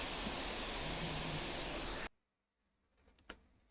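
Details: Lenovo Legion laptop propped up at the back with its vents unblocked: even, steady rush of fan air for two seconds with no whine or rattle, then it cuts off; the fans breathe freely.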